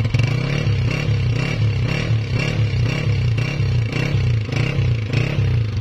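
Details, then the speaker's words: Honda CG 125 (2017, 30,000 km) after replacing cam gear, half kit and piston rings plus new oil to cure engine noises: steady single-cylinder beat rising and falling gently with no knock or rattle; noise fixed. "जी तो दोस्तों आपने इसकी आवाज भी check कर ली अल्हम्दुलिल्लाह आवाज 100% clear हो चुकी है"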